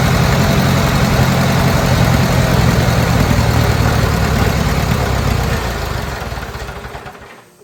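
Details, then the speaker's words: Old Bobcat 610 skid steer, Wisconsin petrol engine, old updraft carburetor, fed ethanol-free 90 octane from a jug, started with starting fluid: runs fast and uneven, then sags and fades out as it stalls; needs almost full choke, dies on throttle. Cause unconfirmed. "It's almost all the way choked to run, and it has no, you give it throttle and it just dies."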